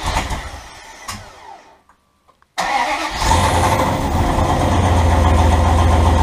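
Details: Turbo 5.2L Dodge Ram first fire-up with exhaust only tacked, not fully welded: cranks, fires and settles into a very loud, raspy, puffing idle; exhaust leaking at the unwelded tacked joints.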